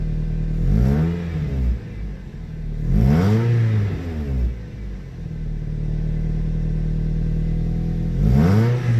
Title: Exhaust Leak? #shorts #toyota #celica #toyotacelica #exhaust #automobile #car #garage #vlog #diy